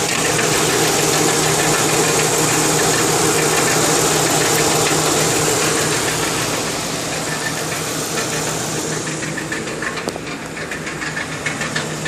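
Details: 2002 Lincoln Town Car idling with a rapid, even ticking knock about three per second that goes away when driving; failed driver's side catalytic converter rattling, replacement stopped the knock.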